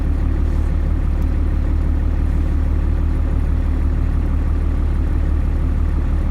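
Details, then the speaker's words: 1st gen Cummins at raised revs (about 1,500 rpm), after sound deadening the cab: a steady, even low diesel drone with no knocks. Cab noise is down from 80 to 74 dB, and the truck runs quieter with rattles gone. "now trucks running much quieter feels more solid a lot of the rattles are gone"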